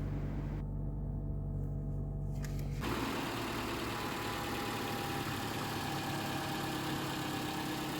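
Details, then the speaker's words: Toyota Camry 2.5 L engine starting just after an oil change from Mobil 1 0W20 to 5W30 synthetic on a hot day: catches at once and settles into an even, smooth idle, quieter with less whine and ticking. "And I'm gonna do a startup after this is done here. Definitely quieter and less whine and less tappity noise."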